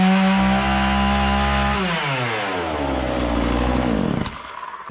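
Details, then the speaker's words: Husqvarna 236 chainsaw test-cutting wood after carburettor service, cover and starter refitted: two-stroke screams at high revs, pitch drops as chain bites, then frees up; pulls strong, no cutting problem. "arkadaşlar, motorun kesme kapasitesinde hiçbir sorun yok. Herhangi bir sorun yok, ancak kapağı takmadan motoru çalıştırmayın."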